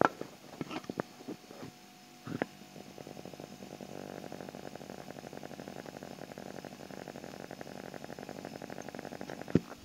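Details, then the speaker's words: Refrigerator compressor after a capillary clog during freon charging was cleared; the filter is warm again and the reading is at 6. Soft, even buzzing hum with a fine, rapid steady pulse and no knocks or rattles; normal running. "Jadi ini sudah lancar lagi. Saya akan tes lagi ini apakah masih mampet lagi. Karena ini anget sudah enam ini 6u. Suara kompresor seperti ini nih."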